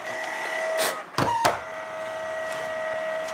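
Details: Steady high squeal over the whirr of a small electric heater's fan, run in a cold workshop, with a brief handling clatter midway; the heater fan squeaks. Owner plans to blow it out with compressed air; cause not confirmed.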